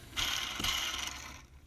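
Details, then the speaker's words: 2000 AU Ford Falcon, whining noise: idler and tensioner pulleys spun by hand with the serpentine belt off give a rough, gritty rumble as they slow; noisy worn pulley bearings, replaced along with the belt, water pump, thermostat and hoses. "So that's the idler. You can hear it. It's very noisy. And also the tensioner. Yeah, you can hear that, how noisy that is."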